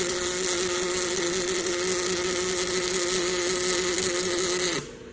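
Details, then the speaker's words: Fanuc welding robot (R30ib controller) MIG welding at a programmed travel speed of 20 inches a minute: steady buzzing hiss over a drone, lacking a crisp crackle. Travel speed is way too fast. "Okay, now that is indicative of our weld speed being way too fast, 20 inches a minute."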